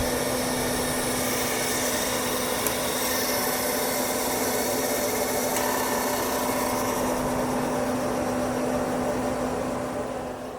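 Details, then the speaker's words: Finch hard drive on a Centurion minicomputer: spun up and seeked normally, then at read test made a horrific screeching, settling into a rough scraping grind with low hum, then powered down; cause unknown. "it spun up it sounded totally normal right up until it didn't it made a horrific sound like a screeching sound and then it settled into just a bad sound"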